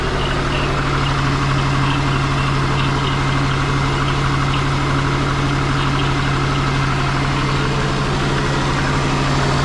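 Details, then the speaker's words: Twin-turbo Subaru Forester with injector issues, restarted after the spark plugs were checked; the number 1 injector is known to work. The idle has a steady drone but an uneven, lumpy pulse, as if running on three cylinders; the cause is unconfirmed. "It does sound like it's running on 3, so let's start it up and see how we go. Alright. Still sounds the same."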